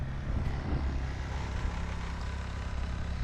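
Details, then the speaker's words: 1000 W Honda inverter generator (29 lb) on e-bike trailer, in eco mode charging the battery packs: low, soft, steady hum with no knocks or surging; barely audible, idling smoothly, normal. "but I'll go ahead and just let it run so you can't hardly hear the thing"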